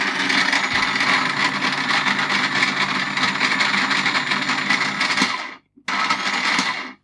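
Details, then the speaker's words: Slush Puppie ice-drink machine on the dispense setting: a steady high motor hum then cut-off, but the blades don't turn at all; owner suspects the motor or the gears, unconfirmed. "It could be the motor, but it sounds like it's obviously making a noise. It could be gear related. I don't know."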